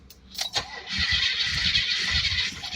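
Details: 1982 Cadillac Fleetwood with HT4100 digital fuel injection, no start after fresh fuel; fuel pump, line, plugs and ignition module replaced, spark and injector spray present, no pressure held after key-off: even lumpy cranking that never catches.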